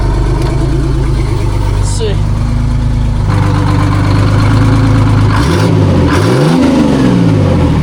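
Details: Detroit Diesel 6-71 two-stroke in a vintage cabover semi, Jake brake test: loud, steady diesel run, then a rapid, hard, barking exhaust pulse as it slows; engine brake working properly.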